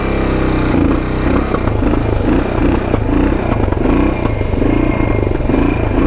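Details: Circa 1980 Yamaha XT500 single, first ride after sitting over 20 years: steady flat thumping that never climbs under throttle, won't rev out; owner suspects air box restriction or pipe, removing pipe and air filter didn't help.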